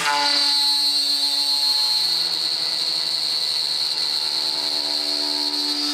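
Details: Millright CNC Power Route first cut: shrill ringing scream held high while bit cuts, heavy chatter especially near the top, too deep a pass, hard on the tool.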